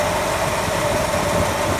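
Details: V8 idle after replacing both #4 cylinder roller lifters (one was collapsed, one stuck), lifters primed with oil, rockers set at half a turn, distributor at 10° before: smooth even idle, no tapping or rough idle; normal idle.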